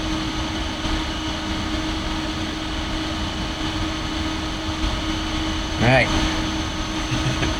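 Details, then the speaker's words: Compaq DeskPro 286e (286 PC) running after power-on, microphone aimed close at the computer: loud constant vacuum-cleaner-like fan whoosh with steady mid-pitch drive hum, no rattles or grinding; normal, just not a quiet machine. "Sounds like a vacuum cleaner. Sounds more intense because I had the microphone right up to it, but it's not a quiet machine by any stretch."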